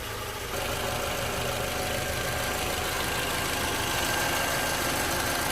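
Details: 2011 Toyota RAV4 idling after alternator and belt replacement; steady even idle hum, faint light tapping under a hiss but nothing abnormal; healthy normal idle.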